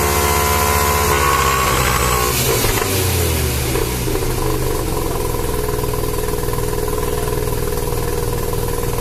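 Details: Mazda Savanna RX-7 SA22C with turbocharged 13B rotary revving hard under load with an uneven, stuttering note and ragged pulses as boost comes on; misfire under boost, cause unknown.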